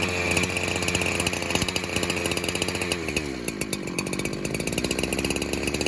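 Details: Warmed-up 372 clone two-stroke chainsaw with the clutch assembly removed, being leak-tested. Spraying around the flywheel and base gasket made no change, but spraying behind the clutch made the revs sag and nearly stall: an air leak at the clutch-side crankshaft seal.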